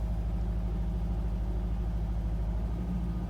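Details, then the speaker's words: Engine on a boost pack after a dead battery, chasing a misfire with no fault codes: low, lumpy idle with an uneven beat, surging and sagging, shaking rougher than expected before warm-up; rough hunting idle, cause not found. "little bit of shaking. That's rougher than I would have expected, but let's see if it settles down. It is hunting a bit, so I'm going to let it warm up,"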